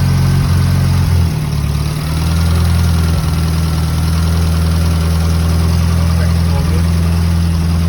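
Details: 1977 Holden Gemini with second-hand replacement engine (after head gasket and timing chain failure), first start after oil system bled; no ECU cold start. Deep, steady low idle with an even beat, no knocks or ticks; oil pressure good, running healthy.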